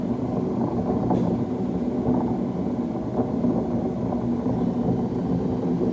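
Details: Beko D5 7101 washing machine, drum spinning: loud steady low rumbling roar, no knock rhythm; worn drum bearings, fixed by replacing bearing and seal in cut plastic tub.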